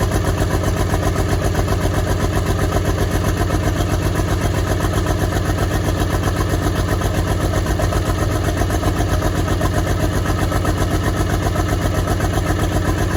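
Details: Track Marshall 90 diesel on first start, engine block cracked. Uneven stumbling idle, about four pulses a second with skipped or weak firings; clear misfire.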